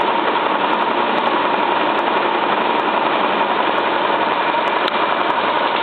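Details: Cylinda 12002 washing machine on its last spin: fast, rough roar with scattered sharp knocks, as if something is stuck in the drum; inspection pocket empty, cause not found.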